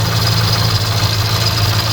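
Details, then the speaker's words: VW Polo R Line rebuilt after crash, first start after engine wiring harness swap, breather pipes still off; uneven lumpy idle with low throbbing beat and rattle like the chain on the case, EPC light on — rough idle, cause unconfirmed. "still running like a Bag of Nails you can hear that noise that sounds like the chain that does rattling on the case"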